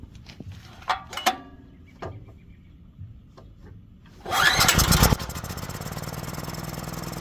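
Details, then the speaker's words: Generac generator that caught fire from starting ether, after carburetor repair, started on full choke by recoil: a few pulls, then it catches and settles into a steady, even run with no misses or knocks, sounding good. Normal start and idle. "And it sounds good."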